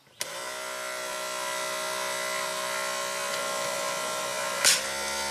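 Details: 1993 Cadillac Allante Northstar V8 convertible top pull-down motor with the original switch reinstalled and the latch grounded: clicks on, whirs at an even pitch for four seconds, then cuts off cleanly. Working normally.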